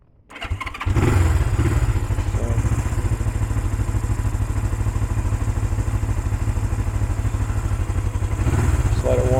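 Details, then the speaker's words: 1975 Honda CL360 Scrambler twin started on the electric starter, briefly warming: catches within a second, then settles into an even, steady twin-cylinder idle pulse with no knocks; runs really nice, healthy idle. "let it warm up just for a second here. So you can hear it. It runs really nice."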